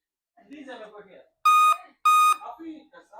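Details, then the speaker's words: Dell Inspiron 15 3542 (Wistron Cedar 13269-1 FX3MC) after short repair, memory installed, display and adapter connected; laptop turns on but gives two long, loud beeps about half a second apart; power-on warning, cause unconfirmed. "beeping why the laptop is beeping but the laptop is on"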